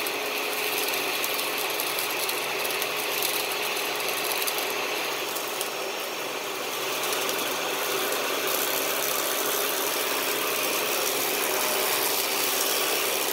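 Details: 2013 Dyson DC41 Animal Complete upright vacuum, used and under warranty: steady high airy whoosh with a fast ratcheting tick, about four per second; the brush roll noise has returned and the owner plans to clean the brush roll again.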